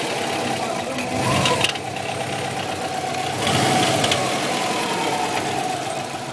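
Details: 2002 Subaru WRX, 176,000 miles, with a swapped-in EJ20 engine of about 70,000 miles, cat-back exhaust, cold air intake and aftermarket BOV, not yet tuned: a faint, uneven knock over the idle with a light hiss. Owner suspects the turbo or a spun crank bearing.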